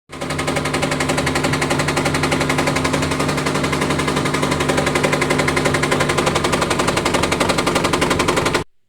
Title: ifb top load washing machine sound problem. Top load washing machine noise problem. IFB APPLICATION.